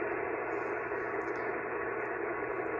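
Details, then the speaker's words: Pyramid PSV500 switching power supply set to 13.8 V, switched on but not connected to the ham radio, receiving on a cobweb antenna: a steady, dense hiss fills the receiver with no break or fade; RF interference from the switching supply. "that noise that you hear is the switching power supply and I'm not hooked up to the power supply"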